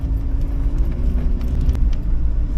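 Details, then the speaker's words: Fiat (SEAT) 127 classic on a long road trip, running 98-octane fuel after slight pinking noticed on a test drive; even low drone under way with key rattle in the cabin, no knocks or misses, slight exhaust blow; engine running normally while driving. "But the engine sounds sweet. The clutch is good. Gearbox passes nicely on the gears."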